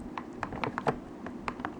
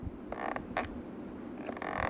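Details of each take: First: PS3 DualShock 3 controller after disassembly and cleaning with rubbing alcohol and Q-tips: crisp, dry button clicks in quick succession, the earlier squeak gone, sounding like a brand-new controller. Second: Sony PS3 DualShock 3 controller used about 1.5 years: short dry squeaks with each press from worn buttons, especially X and circle.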